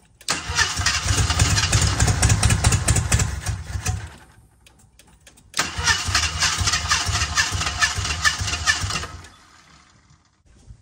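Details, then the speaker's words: 1978 AMC Hornet, first start attempt with battery hooked up and fresh gas; two cranking bursts, engine catching roughly then dying both times; hard starting, wrong firing order suspected, unconfirmed. "could it be could it be that it's out of uh the that the uh firing ORD is wrong kind of sounds that way right now but I don't know we'll see"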